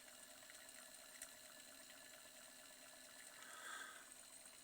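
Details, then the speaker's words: Reverse osmosis booster pump, fitted with a replacement motor after the original knocked due to a worn plastic front-bearing seat, running under load: quiet, even hum with steady water flow and no knocking; normal running. "Теперь вы можете услышать, как тихо он"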